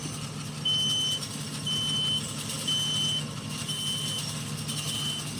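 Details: Gate operator closing the gate with its 3-second start delay turned off: steady motor drone under a high chirping beep repeating about once a second while moving; operator and unpluggable motion warning beeper working normally.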